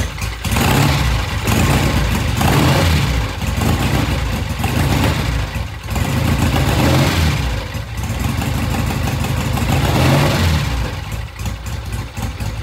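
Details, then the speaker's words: Vintage British Triumph TR6 single-carb motorcycle after cleaning a clogged pilot jet, started after about a dozen kicks; uneven but steady single-cylinder thump with rev blips, slight stumble coming off idle; normal idle. "it started up took a dozen or so kicks we uh cleaned the pilot J the pilot jet was all clogged up once we did that we got it started it's idling now"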